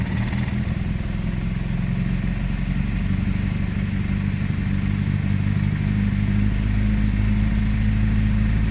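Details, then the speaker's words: Circa 1991 Nissan Primera P10 1.6 carburetted petrol, cold after engine gasket work: low uneven idle held on steady throttle, dips and recovers, stalls without gas; damaged carburettor valve not opening; unstable cold idle. "oui vous voyez la cale et reviennent calais donc beau ça montre à quel point il faut garder une accélération constante"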